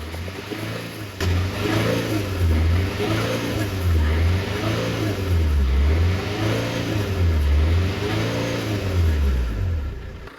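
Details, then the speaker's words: Fiat 500L diesel that sat unused for over 12 months, check-engine light on with a stored DPF code: repeated blips of revs climb and fall back cleanly; it starts on the button, with no rattles or knocks. Normal revving. "I'm saying the engine sounds good and healthy. Starts on the button. There's no rattles, no nothing, really."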